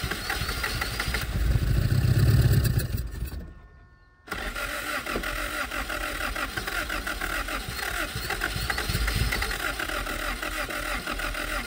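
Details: 1977 Honda Civic, last registered 1987, first start in 37 years, no fuel system, fuel poured into the carburetor while cranking: loud rough cranking cuts out, then ragged uneven running on the poured fuel.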